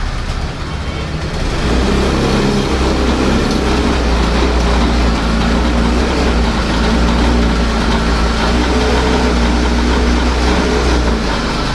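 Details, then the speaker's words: Older-model Access 125 scooter: engine starts but jerks, misfires and bogs down when revved, running rough with a wavering, sagging beat; may stall at full throttle; air leak at intake hose from missing bush inside the hose. "मेरा device आपको शायद पता चल जाएगा कि जैसे हृदय गाड़ी बिल्कुल झटके लेने लगती है और जैसे दब जाती है"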